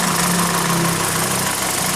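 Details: 2012 VW SpaceFox 1.6 8v flex-fuel, warm idle: clattery idle with light ticking knock, toc toc; suspected detonation or piston slap, injector tick also heard; ethanol-only test advised, remap if it helps, else open engine.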